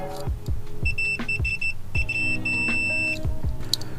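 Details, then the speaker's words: Ford F-150 start/stall diagnosis: fuel inertia switch removed and tested with a multimeter continuity test; high steady beeps in choppy bursts show continuity across the closed switch, so it is good. "So currently the switch um if it's working properly it should be closed so there should there should be continuity between to the"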